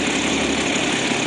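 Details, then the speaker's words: 1965 Mustang coupe, six-cylinder, manual, after a few moments running. It ran fast on a poor choke; after a throttle blip it drops to a steady, even idle with no surging or misfire. Normal idle. "But if I give it a bit of throttle, now it's been running for a few moments. There we are. Instantly we can hear it dies down to normal idling levels."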